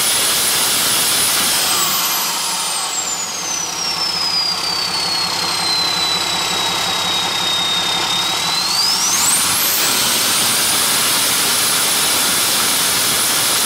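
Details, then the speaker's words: Hyster with Cummins 8.3 (505 cid) diesel, HX40 turbo with machined small 6cm exhaust housing, no load, revving: loud high whistle sweeps down and climbs back; about 35 psi drive pressure for under 20 psi boost, housing too restrictive, later replaced by HX55 11cm. "so you can see like 35 pounds to drive if not even 20 pounds of boost so that's not good plus that's with like no load on it so that's not good either the housing's just way too restrictive for this size engine"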